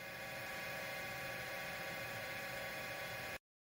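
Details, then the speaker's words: Small cooling fans on a home crypto mining unit: loud, constant raspy whirring; the fan bearings are bad even though the fans are brand new. "this thing's just so loud these fan bearings are shot they're brand new and they're they're so bad you hear that the bearings are shot in these things"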